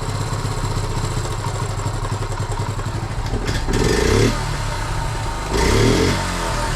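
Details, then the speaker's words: 1976 Honda Z50J1 monkey bike after fixing long-standing running problems: small single pulls cleanly through two quick blips and settles to an even idle, noticeable power gain; gap still needs fine tuning. "Ooh. Well, straight away that's a much noticeable power gain. Definitely. I think we cracked it, you know."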